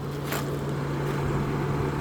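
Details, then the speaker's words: Toyota Kluger/Highlander with over 300,000 km at idle; steady, even hum with no knocks or ticks; normal idle. "no knocking, no nothing. Smooth, typical Toyota."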